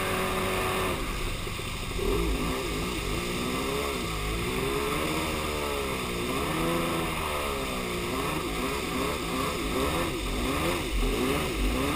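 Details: Yamaha Superjet two-stroke watercraft revs unevenly, rough and lumpy as if firing one cylinder; began right after refuelling at the lake, persists with fresh gas, compression even, both plugs look okay; owner suspects plug wires or ignition.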